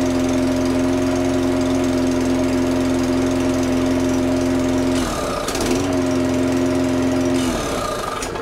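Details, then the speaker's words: Curb-find lawnmower after a faulty new NGK spark plug was replaced, restoring spark: a steady buzzing hum that sags and stumbles twice as if starving. The owner doubts it runs on its own; the cause is unconfirmed. "Okay, so it all runs. I don't think it runs off its own back. I don't think. No."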